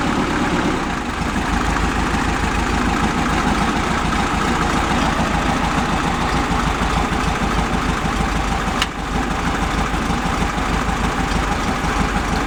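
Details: 1971 VW Beetle convertible, carb tweaked to idle down: steady idle with an uneven, lumpy beat; the front cylinder seems weak but it sounds fine revved. Plug sparks; valve adjustment to be checked first. Rough idle, weak cylinder.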